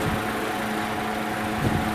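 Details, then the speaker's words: 1970s American-made Superior electric fan with translucent blue plastic blades, freshly cleaned: steady motor hum with a low throbbing wobble at blade rate, a balancing issue molded into the blades; no bearing noise heard. "we really get a good so it's not perfectly balanced I think we have a little bit of a balancing issue but that's that was molded into the blades whatever that is"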